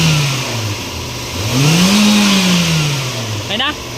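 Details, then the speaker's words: Toyota Vios after replacing the automatic transmission fluid, revved in park: revs rise and fall smoothly with no droning hum, and the earlier transmission noise seems gone; normal CVT operation. "Ayan sir, baka wala na. solve na yung problema ni sir."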